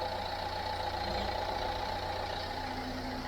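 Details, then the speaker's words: 2008-2012 Ford Fiesta Mk7 1.4 diesel after replacing slipping serpentine belt that screeched when cold: steady diesel idle with even clatter, no belt squeal or whining. "at least now it's working like it should."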